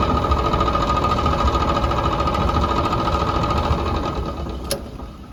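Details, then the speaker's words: 5-year-old Whirlpool Cabrio clothes dryer, drive belt reconnected: steady, fast rattling tick of about three or four a second while the drum turns, from a failed, loose idler pulley bearing, needing replacement. "So sure enough, that's got to be the problem. The noise came right back when I reconnected the belt."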